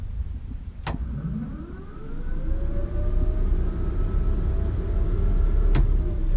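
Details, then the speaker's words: 1959 Ford Ranch Wagon, electric cooling fans switched on via override with ignition on: click, then a whirr climbing in pitch and settling to a steady hum; voltage drops on gauge, fans normally thermostat-controlled around 190–200°F. "This is an override right here for the electric fans. So when the ignition's on, I don't know if you can hear the fans come on."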